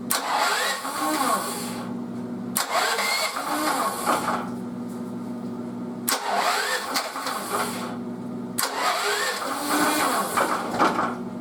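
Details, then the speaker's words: Mobile welding generator left outside uncovered and unused about 10 years, started on choke then choke off: steady, even hum with no misses or knocks; runs quietly and healthy, putting out about 122 volts at the plug. "I can't believe it guys I can't believe it this thing's been sitting for like 10 years unreal and it's pretty quiet I'm impressed"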